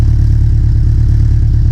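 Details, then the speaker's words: Big-turbo Subaru Legacy first start, warming up before tuning, after vacuum line installed: smooth, even, quiet low idle with steady rhythm and no ticks, puffs or rasp; exhaust has no resonator; engine sounds healthy and sealed. "now that we got that vacuum line on i can give you guys a proper sound clip of this thing definitely pretty quiet"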